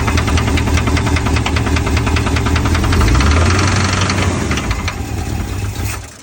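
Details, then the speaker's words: 1969 Ford Mustang Mach 1, 351 Windsor small-block V8, first start after fitting period performance intake parts: hard metallic knock about four per second over a rough idle; owner hopes it isn't rod knock. "and then all of a sudden there was this really bad knocking noise I'll throw in the clip here."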